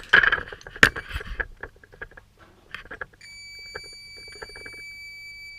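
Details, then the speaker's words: Yamaha XS1100 cafe racer rewiring, tester connected to positive, ignition switched on; handling clatter then a steady high-pitched tone holds, showing power present. "we have noise."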